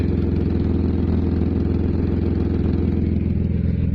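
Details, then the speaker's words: BMW E36 with 2.5 six-cylinder, manual, idling: loud raspy exhaust with a steady rapid low pulse and a hollow blatty edge; rear muffler leaking, to be removed. "so pretty much the goal of today well today's video is the muffler decided that it wanted to have a leak if you can hear me over the exhaust"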